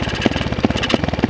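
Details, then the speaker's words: Two-stroke dirt bike idles fine but stumbles and sputters with heavy uneven thumps when throttle opened, bogging and stalling; had run perfectly before shutdown; owner suspects clogged jets, later seems to clear itself. "I shut it off before, it was running perfectly fine, and then now when I go to give it throttle, it just bogs out, as you guys can"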